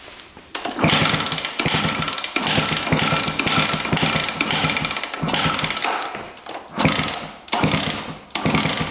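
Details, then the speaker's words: 1999 Suzuki RM125 two-stroke dirt bike, non-running: repeated fast kicks turn the engine over cleanly and smoothly with no knock or clatter from the bottom end, so rod bearing and crank seem fine. "I don't hear any knocking, so I don't think it is the rod bearing."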